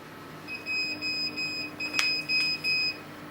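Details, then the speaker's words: Chinese laser cutter on RDWorks, air assist setup, after "enable protect" was written to the controller. Repeated high-pitched beeps in uneven bursts. Controller protection alarm from a wrong setting; machine unusable until enable protect was switched off. "and so we've now gone too far we've protected something that shouldn't be protected can't even use the Machine now"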